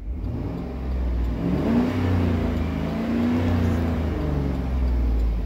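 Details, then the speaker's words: 2010 Chevy Tahoe after replacing the rear audio control unit: engine revs and settles with a clean rising hum, no buzz or whine through the speakers (previously buzzed with radio and blinker on); buzzing fixed. "no more busting sound let's go the other side the Boston sound is gone we fix it guys"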